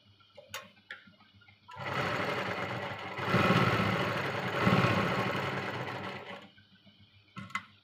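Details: Domestic sewing machine after threading and fitting the bobbin, which clicks into place: an even mechanical clatter at about two stitches per second that starts and stops cleanly; normal stitching.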